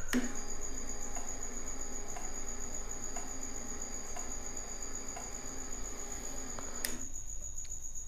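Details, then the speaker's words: Yamaha R1 in diagnostic mode (codes 36–39 test injectors one by one), fuel pump running: crisp single injector clicks about once a second, five times, over thin pump whine; injector not sticking, normal. "So if I turn it on, you'll hear the injector click 5 times, and you'll know like it's not getting stuck, and that you can hear the clicking, and that's sort of how you diagnose it. So it sounds a bit like an indicator, but it's the actual injector clicking. So you know that it's good."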